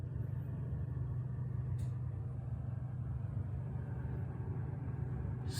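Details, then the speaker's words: Samsung refrigerator evaporator fan after defrosting ice off the evaporator that the blades had been hitting: quiet, steady hum with no scraping or grinding, normal operation. "quiet that's the way how it should run and sound"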